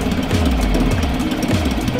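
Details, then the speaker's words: Suzuki 2.5hp outboard after carburetor strip and clean: low, slightly lumpy idle that keeps running only with the choke out, indicating rich running; owner suspects a fall knocked an internal carb jet or setting out. "I am running it with the choke out. That's right. This motor, unlike anything I have ever known, runs when the choke is out. And it runs well."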